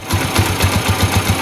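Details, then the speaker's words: Rusi Macho TC150 single-cylinder motorcycle warmed up after its first tune-up: even putter at roughly six firing pulses a second, steady with no knocks or misses; healthy idle. "yun na guys, no? Yan yung tunog niya. Sound check tayo ngayong na-tune up na siya, no?"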